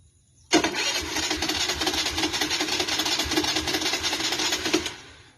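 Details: TVS Dazz 110 scooter: the starter churns about four seconds with ragged, uneven firing that never settles into an idle. Hard starting.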